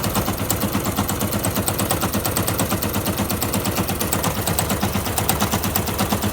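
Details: Fuel-injected Yamaha YBR 125 single: fast, hard, machine-gun-like knocking rattle that comes and goes at all speeds with bad vibration; persists after new piston and barrel, clutch basket checked; owner unsure of cause.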